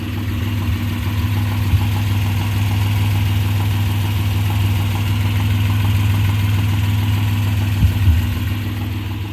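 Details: 1995 Suzuki Escudo with H20A petrol engine idling: steady rhythmic knock about four beats a second, louder and faster when revved; cause unknown despite replacing a part, owner wonders whether bearing shells are at fault.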